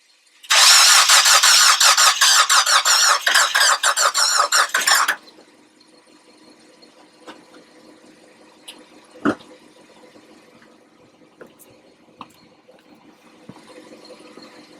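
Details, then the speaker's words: 2002 PT Cruiser, 48,000 miles, won't start after very cold weather; spark confirmed, one cylinder only about 30 psi compression. About five seconds of uneven, lopsided cranking near three turns a second, never fires; owner suspects slipped timing belt, possibly bent valves. "but uh just from that sound that it's making you heard when it's cranking over um you know it sounds like I got o"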